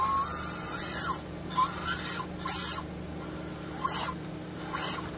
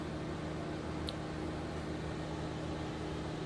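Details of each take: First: SCX24 RC crawler with Nano Beast 2.0 brushless motor and brass transfer gears: thin high whine rising and falling with motor speed during short drive bursts; gear whine, nylon gears planned to quiet it. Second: SCX24 crawler with Nano Beast 2.0 brushless motor and brass gears, slow crawl: faint even motor hum with steady gear whir, no clicks or binding; smooth quiet low-speed running.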